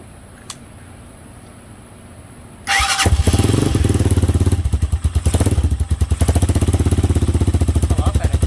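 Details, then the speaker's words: Hawk 250 single after valve adjustment set at top dead center via kickstart: starts on the button and settles into an even idle with no tapping from the top end; normal idle. "Yeah, sounds much better. No tapping noise, nothing."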